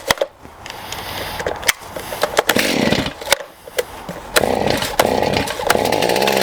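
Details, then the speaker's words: STIHL MS291 chainsaw during carburetor adjustment, mixture screws turned out too far: uneven burble between sharp bangs, not crisp; running too rich, L and idle screws to be turned in slightly. "Okay, it's running a little too rich, guys. I've turned out the screws a bit much."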